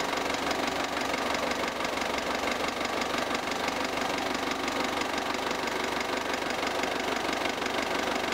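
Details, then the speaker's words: Mk5 Ford Transit 2.5 DI diesel in cold weather after fitting a new bigger battery: brisk, even cranking about three beats a second holding pace; starter turns over much quicker than before. "so since putting the new battery on i've definitely noticed a with it starting in the colder weather it starts much quicker the starting motor turns over much quicker"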